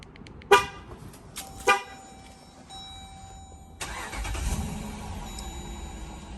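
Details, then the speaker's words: Dodge Durango remote start test after the faulty brown and blue wires were cut and reconnected: two quick horn toots, a short pause, then the starter catches and the engine settles into a steady idle; remote start now works. "light is gone. Car started without a problem."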